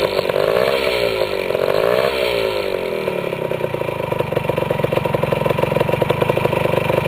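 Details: Restored 1973 Yamaha CT175 two-stroke (carburetor rebuilt, clutch repaired) just started: blips up then settles into crisp, evenly spaced popping idle with no misfires or rattles; owner says it starts better than anything he owns; normal two-stroke idle.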